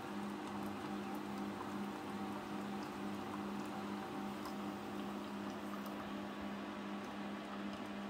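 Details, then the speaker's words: Keurig K-Duo-series coffee maker brewing: steady low hum pulsing two or three times a second under soft bubbling and patter; normal brewing boil noise. "y anytime they're boiling at water they just sound noisy there you can hear that water boiling"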